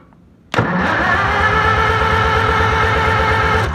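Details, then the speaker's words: Old farm engine rested 15 years, fuel fed straight to the carburetor, points not yet checked: steady cranking at about three compression beats a second that never catches; no spark, points to be cleaned. "no spark i'm going to clean the points or check the points"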